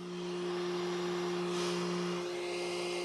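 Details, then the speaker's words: Flashforge Adventurer 5M series 3D printer on first power-up. Steady airy whir with a constant low hum from the back of the machine, not the print head. The rear cooling fan is loud. "the first thing that I'm noticing is there's quite a bit of fan noise coming from this thing it's not coming from the print head it's coming from the back of the machine and we'll just take a little listen to it"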